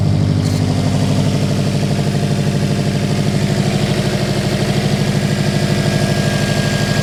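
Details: Subaru Impreza EJ engine after timing belt, water pump and radiator replacement, following an O-ring and coolant pipe clip fix that solved both issues. Even idle pulse about three beats a second, no misses, knocks or whistles; healthy.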